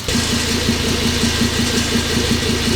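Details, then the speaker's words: Turbo 07K five-cylinder swapped into Porsche 944, first start after prolonged cranking to prime oil pressure, no coolant fitted: steady smooth low idle with no knocks, much quieter than previous engine; normal idle. "It's so quiet compared to what my car was."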